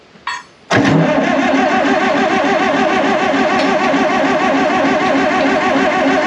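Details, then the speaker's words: 1960 John Deere 440 backhoe, supercharged two-stroke Detroit 2-53 diesel revived after years sitting seized; 50–60 psi oil pressure. Cranks briefly, catches, settles into steady busy two-stroke run with supercharger whine: normal running after start. "this thing sounds awesome you hear the supercharger this thing's flipping cool i'm excited to run this machine"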